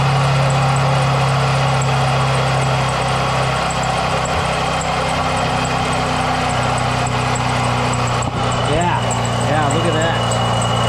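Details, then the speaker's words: Jeep Wrangler at idle with air conditioning switched on; steady whirring drone with intermittent chirping squeaks; owner suspects worn AC compressor pulley bearing. "I think it's that conditioner fully buried I think that's a problem which in turn is causing a little bit of squeaking"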